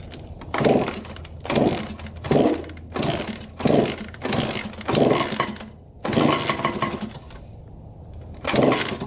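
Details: 1987 Honda CR80 two-stroke dirt bike, carb cleaned, choked first start: sharp revving bursts about every second, sagging and dying off, won't hold idle; white smoke and milky oil, owner suspects coolant in oil and an air-fuel mixture screw needing adjustment.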